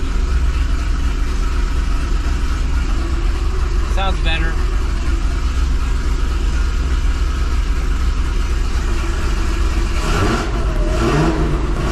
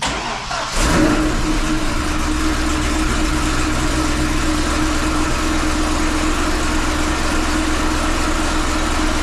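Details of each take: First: 2005 Chevrolet Corvette V8 with 2" headers at first startup after welding new V-band flanges and replacing the driver-side exhaust manifold gasket: deep steady idle with throttle blips, no obvious ticking; exhaust leak mostly gone, slight leak possibly remaining, perhaps passenger side. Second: 2005 Chevy Corvette V8 with 2" headers: lumpy idle with a sharp puffing tick over the exhaust note, from exhaust leaks at the loose, poorly fitting V-band flanges on the headers, about three leaks per manifold.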